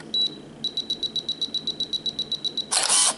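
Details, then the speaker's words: Canon EOS Rebel S 35mm film camera body set to the self-timer countdown: about sixteen quick high beeps, roughly four a second, then a crisp shutter and mirror clack as it counts to zero and takes the photo; self-timer and shutter work normally. "Ah okay There is the countdown it arrives at 0 and it will take the photo ready"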